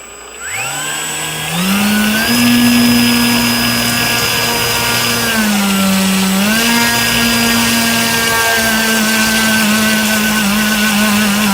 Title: STRANGE NOISE WITH 25C BATTERY ON BRUSHLESS MOTOR